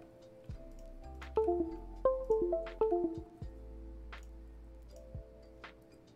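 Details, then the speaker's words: Key65 keyboard with Holy Panda switches and a Via-flashed PCB, just plugged in: USB chime tones repeat over and over, a falling then rising pair each time. The PCB repeatedly disconnects and reconnects; cause unknown. "I think I understand what that reset problem was talking about. I can hear it reset, like, over and over and over again."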